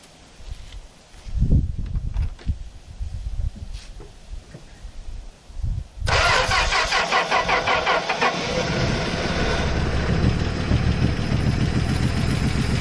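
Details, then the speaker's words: 1964 Plymouth Belvedere slant six, three-on-the-tree, sat about 20 years, new coil wire: long cranking with a few coughs, then catches into a steady, slightly uneven idle, not smoking much; normal idle. "good old Slant six right off the bat not really smoking that bed"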